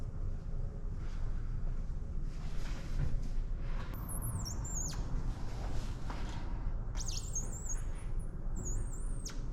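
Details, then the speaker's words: While trimming excess matte/gloss paint protection film on a car hood with a blade, high thin squeaks rise and fall as it draws along; the squeak means good pressure, cleanly scoring the top edge without cutting through; normal. "if you can hear that squeak sound that means you're getting a really good cut on the material that's what you're hoping to hear that means you have really good pressure"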